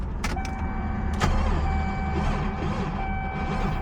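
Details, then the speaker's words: 1JZ-swapped Toyota Cressida that sat three years, jump box on alternator plus trunk battery: steady electric whir with sluggish rhythm; engine turns over slowly and weakly and never fires, cause not confirmed. "And let's see if it's still got a slow crank. If it does, we've got a problem."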